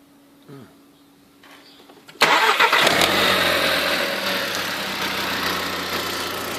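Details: VW Polo GTI cold start: brief crank, then the engine catches with a loud, rough clattering whirr over the idle that went away after about 10 seconds; cause unknown.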